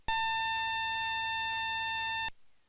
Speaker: If there is a problem with the memory in the computer, the computer may give an indefinite or long beep